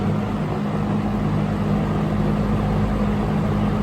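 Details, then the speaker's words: Early-1970s Electrohome 652-1 20-inch two-speed box fan with metal blades, on high: steady even air rush with low constant hum, no wobble, knock or rattle; well balanced, runs great. "so here it is high-speed beautiful [Music] runs great [Music] it's amazing how well balanced these fans are"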